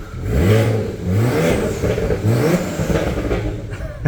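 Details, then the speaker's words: BMW 335i N54 with newly installed RB twin turbos, no more wastegate rattle: crisp free revs climbing and dropping cleanly, no rattle on blips or return to idle; normal revving. "Alright, first impressions. There's a lot more turbo spooling noises."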